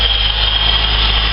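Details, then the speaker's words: VS Commodore after spark plug change and throttle body clean, cold start: fast, smooth, even raised idle with faint steady whine, no more misfiring; normal high cold-start idle (owner suspects head gasket issue remains). "so it's got a high idle because it's um it's actually cold start"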